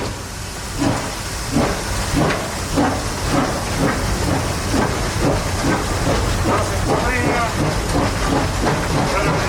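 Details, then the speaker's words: SoundTraxx-equipped model steam locomotive at speed step 15, with quiet dynamic exhaust: even four-chuff pattern per wheel revolution, roughly ninety-odd beats a minute with steam hiss between. A normal, healthy steam exhaust beat. "So you can start to hear that 4-chuff pattern. Chuff, chuff, chuff, chuff. It's a very distinct pattern, and it is something that is very evident on steam locomotives,"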